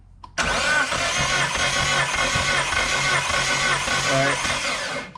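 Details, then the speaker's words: Galant VR4 engine during a compression test, cam angle sensor unplugged so no spark or injection, fuel pump still running: steady even starter whirr for about five seconds with no firing; readings about 100–110 psi versus 150 earlier. "have the cam angle sensor unplugged, so it's not gonna fire the spark or the injectors. The fuel pump will still be running, however. Go ahead and crank it."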